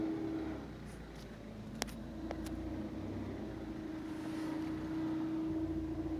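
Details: Ford C-Max pulling away: a faint steady mid-pitched whine over quiet engine and road sound; source not determined.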